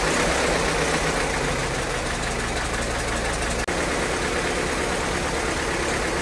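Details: 1952 Case DC tractor, 12 volt, unstarted about 6 months, cold start at about 42°F: steady, even idle thumping about three times a second under rattle and hiss, no missing beats; runs smooth.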